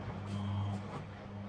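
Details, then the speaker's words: Washing machine on a narrowboat, powered by a solar generator, drum full after filling: quiet, low, steady motor hum with soft swishing, no grinding or knocking; normal drum rotation. "It should be full. Here we go."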